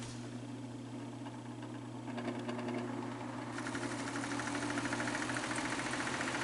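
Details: Fan motor with bad bearings: steady hum with scratchy rubbing rasp growing as fan speeds up; excess play lets the rotor push on the back of the motor casing, rubbing at the bearing, likely from a botched earlier disassembly; unconfirmed, motor not opened.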